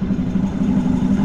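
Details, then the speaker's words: BC620 chipper after disc bearing replacement: steady low even hum, no marble-like grinding as the old bearings had; new bearings quiet and healthy. "That sounds a lot nicer than the old bearings. The old bearings sounded like a bag of marbles."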